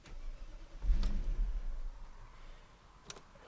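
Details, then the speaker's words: 1999 Audi A8 4.2 V8, cold start after four days sitting, with a newly fitted idle air control valve: low rumble catches about a second, then dies. It won't hold idle; the throttle body may need recalibrating or the valve may be incompatible. "you can tell from those two attempts to start it up it doesn't want to hold idle and so it dies right out"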